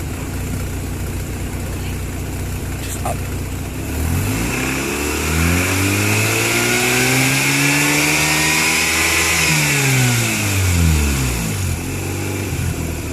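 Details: Turbocharged Mazda RX-8 rotary: uneven, lumpy rough idle, then a smooth rev that climbs and falls back to idle; cause suspected, not confirmed.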